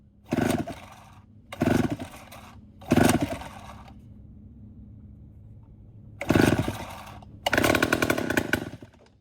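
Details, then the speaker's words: Vintage Homelite 7-19 chainsaw (late 1950s/early 60s) after carburetor cleaning: short ragged bursts of two-stroke firing that catch and die within a second; worn carburetor diaphragm needs replacing, so it won't keep running. "It's not perfect. It needs a new diaphragm put in it, but maybe hopefully it'll do good enough to where we can crank it up and run it for a minute."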